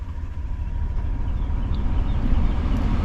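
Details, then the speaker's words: 2014-2019 Chevy Tahoe after repairing a radiator fan that would not turn off: a low, even idle with no cooling-fan roar as the engine warms; a normal idle with the fan now silent. "And as the engine begins to warm up, it should regulate up to 210. And I don't hear the fan."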